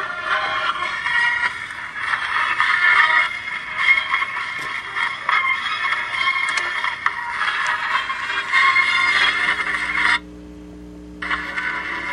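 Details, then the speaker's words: Vintage Magnavox console record player, owner reported staticky sound and records not dropping; harsh gritty scratching hiss over faint muffled music with short drop-out; not amplifier, needle broken off, bare arm dragging groove. "It's not like an amplifier problem. I think the needle's just gone. Exactly, there is no needle left."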